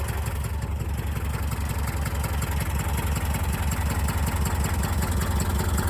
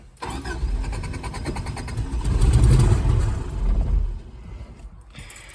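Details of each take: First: 1984 Subaru Brat (84 or 85) EA81 flat-four, sat about 10 years, now revived: steady low idle, even pulse about three beats a second, all cylinders firing, no misses; timing a little off; normal idle. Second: 1984 Subaru Brat (84 or 85), 4-speed dual range 4WD, sat about 10 years: starter cranks steadily with even compression pulses but never fires; no fuel pump heard, some oil pressure; cranking no start from fuel starvation.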